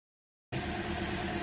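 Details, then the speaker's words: 2010 Toyota Corolla with flashing check engine light, shaking and unable to exceed 40 mph; idle is uneven with a lumpy stumble. Scan-tool misfire counters and a scope capture confirm a misfire on cylinder 3. "you can see the engine shaking see that shaking misfiring whoa there it is it's really plain to see"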